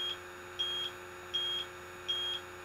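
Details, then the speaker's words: Electronic refrigerant leak detector held away from the air conditioner before evaporator coil leak search: slow, even high-pitched beeps about every three quarters of a second; detector settled at baseline. "you want to wait for is for it to just do that that small beeping alright we're at a baseline"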